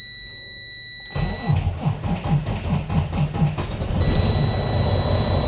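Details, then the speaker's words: Freightliner Cascadia with low batteries in cold weather, jump-started with portable jump pack set to 12 volts: quick even starter chug about three and a half turns a second, then the diesel catches and runs steadily; normal start. "as you can see in works it was fine especially then this jumper is portable and a star a truck"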